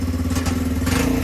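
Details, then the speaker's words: Lexmoto Street 125 single-cylinder bike, bought as a non-runner, started after charging the battery, no choke: even steady beat with no misses, knocks or hunting; idling smoothly, revs fine. "yeah it's all working fine idle sounds lovely idling beautifully revs"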